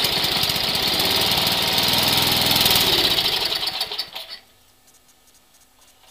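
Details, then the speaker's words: Snow blower, cold start at about 20°F, bought this past year, oil just changed: small engine fires and runs with an even, fast beat for about four seconds before shutting down; healthy cold start. "all righty this also gives me the chance to do a cold start on our snow blower I just got this this past year and yeah I didn't well change on it and other than that it starts and runs pretty good so let's see if it'll start for me"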